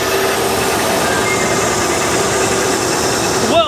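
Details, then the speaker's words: Bullnose Ford F-150, cold start after correcting mixed-up wiring: a steady, even idle with a smooth hum and no knocks or misses, the engine running cleanly. "wow she really does sound good doesn't she cold start too"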